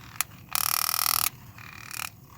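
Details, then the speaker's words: 2012 Ram 3500 HVAC blend door actuator, removed from under dash and tested with control reconnected: small motor gives harsh buzzy grinding bursts instead of smooth whir; internal damage suspected, replacement planned. "Let's see if this motor works. So it is making noise and kind of"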